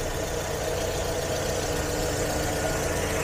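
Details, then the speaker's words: Toyota Vios Gen 3 sedan, 125,368 km, idling, AC off, no oil leaks seen underneath; even, steady idle with no knocks, misses or ticking; engine judged still healthy. "Intinya untuk sisi engine sih mobil ini masih sehat dan masih sangat worth it untuk"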